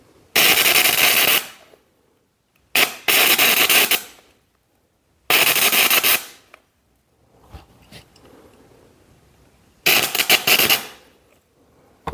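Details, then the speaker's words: Homemade gasless MIG welder powered by two 7 Ah motorcycle batteries in series (about 26 V): loud sizzling crackle bursts of one to two seconds with silent gaps, laying a short bead; normal welding. "Agora, vou ligar aqui de novo. Agora eu vou fazer a soldinha, ó."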